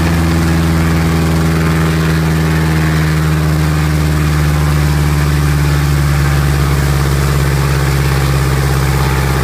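Deep, steady drone holding even at high power with no misses, surging or knocks; this engine is running smooth and healthy.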